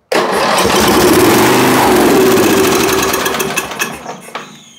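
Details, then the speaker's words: Snapper lawn mower that would not start, given a squirt of starter fluid: fires into a loud, rough run for about three seconds, then sputters and dies; suspected carburetor not supplying fuel, not confirmed. "okay so I think that pretty much tells us that uh that should have stayed running if it was working so I think what we've got is probably just a carburetor issue"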